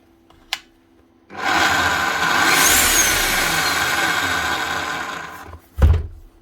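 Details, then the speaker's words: Makita HR5211C rotary hammer, over 10 years old, before repair: the motor spins up to a smooth high whir with no pounding beat, running very free with the piston not driven. The cause found was a snapped connecting rod. "It's a bit odd. It's got no hammer at all. Can even hear the piston."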